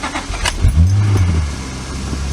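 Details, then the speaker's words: 2004 Honda Accord V6 (J32 swap), 6-speed manual, engine about 180,000 miles, 288,000 on the clock, clutch out, cold December start: a few dry clicks and a slow, tired crank before it catches into a low rumble; a tired battery is suspected, not confirmed. "little clicky, a little tired."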